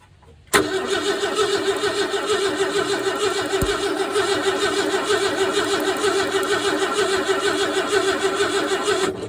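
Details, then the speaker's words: 1968 Ford F100, not run since 2001, cranked with a remote starter switch: the starter churns steadily with even compression pulses but the engine never fires; no spark at the points, possibly a bad coil (suspected); new points to be fitted. "Doesn't appear to be any spark at the points. which could suggest a bad coil."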